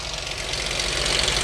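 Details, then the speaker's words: Dodge Charger 2.7L V6 at warm idle, AC off: fast, light ticking clatter from the valve train, seeming to come from one side, steady throughout. "Uh-oh. Yeah, that sound like valve train."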